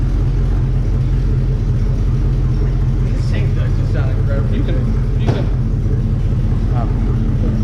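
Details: 1964 Chevelle Malibu SS convertible, 283 two-barrel V8 with a factory four-speed, running after the dry carb fuel bowl was filled, driven slowly with no brakes: deep, strong low rumble rolling steadily; the V8 runs smooth and healthy.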